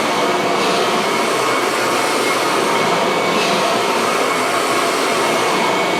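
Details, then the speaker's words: Kirby vacuum cleaner assembled from several broken machines and cleaned inside: steady, even high-pitched motor whir with no surging, rattles or scraping; normal running. "so as you guys can hear it runs pretty well there's really no issues"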